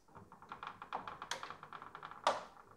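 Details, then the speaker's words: Marble clock elevator: creaking, rapid plastic ticking and two sharp cracks from a marble that jumped out of the input ramp and got jammed between the elevator links. "I've been looking everywhere to find the source of the noise and I finally found it when I design the elevator links I added this fin here because that's where the channels are and I didn't want marbles to get stuck in there"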